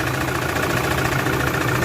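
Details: Toyota Fortuner 3.0 diesel at idle with code P0200 injector circuit malfunction: uneven, shaking, lumpy stumbling beat, described as abnormal like a motorcycle, a problem inside the combustion chamber; misfire with one cylinder dead, injector circuit suspected.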